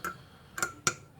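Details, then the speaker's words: Old Victa two-stroke lawn mower, spark check: three crisp dry snaps a fraction of a second apart as the engine is pulled over; healthy, strong ignition spark. "I can hear it. Oh, that's got a healthy spark. That works."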